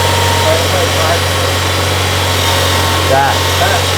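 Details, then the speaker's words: 1994 Toyota Celica with intermittent battery light, idling with accessories on, AC off, blower low: thin whine rising and falling in pitch under steady idle hum; alternator whine. "That's the alternator. You hear that whine, Jake? That's your alternator singing."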